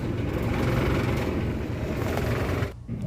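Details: Carrier ductable AC unit blower, heard before repair: loud, rough low drone with uneven buzzing rattle over the fan's rush, from a loose, under-screwed blower housing cover.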